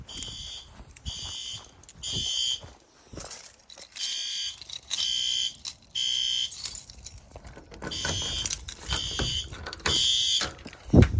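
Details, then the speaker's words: Monthly fire alarm test triggered by heat gun on heat detector: horn strobe gives loud high-pitched blasts about once a second with clean starts and stops; normal operation. "There she went. That strobe in here is good. That horn strobe is good. That strobe is good."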